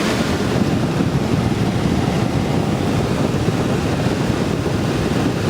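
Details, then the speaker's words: Early-1960s Philco Noiseless air conditioner on original refrigerant charge (no service ports), dirty coil, fan on high: steady even rush of air with low hum, no knocks, rattles or scrapes; running smoothly. "yeah this thing's working perfectly no all those years i mean there's no service ports on this so we know it's on its original charge of refrigerant"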